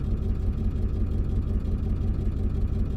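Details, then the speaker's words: 2002 Ford F350 7.3 diesel during a cylinder balance test, injector driver module code: lopsided chugging, about three pulses a second, cylinders dropping out; misfire, cylinders 1, 3 and 5 showed off contribution, bad injector suspected. "definitely got to miss a bad injector or something then again I don't know what's been going on down here with all these modules and I'm gonna look around so I'm doing a cylinder balance test"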